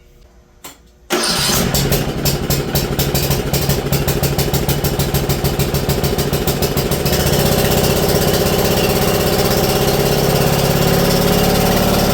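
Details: Briggs & Stratton PowerBuilt 10.5 HP single-cylinder rear-engine rider mower after carburetor replacement and clearing a flooded cylinder: brief crank catches within a second into a fast, even putter that holds steady; normal start and run.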